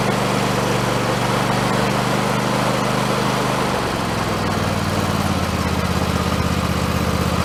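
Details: Husqvarna YTH2454 riding mower after carburetor rebuild with kit, started with a little starting fluid: steady, even engine hum dropping to slightly lower speed partway, no misses, pops or surging; running smoothly, owner suspects earlier trouble was running out of gas.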